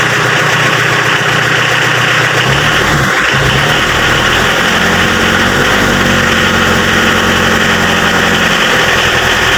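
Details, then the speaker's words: Mitsubishi L300 diesel that was hard to start when cold in the morning, after repair of the glow/preheating system: started cold once the preheat light went green; even idle with a steady low clatter, no misses or hunting. "Nah, di sini setelah dilakukan perbaikan pada sistem pemanasnya, mobil L300 diesel ini pada waktu posisi dingin sudah mudah dihidupkan."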